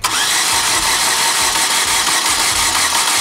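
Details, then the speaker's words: 2010 Chevy Aveo that misfired severely, glowed red at the exhaust manifold, lost power and now won't start: uneven, lumpy cranking with no firing while the cam turns, with oil everywhere. Flooding or cylinder wash is suspected. "Okay. Okay. It might actually just be flooded. I mean, it's turning."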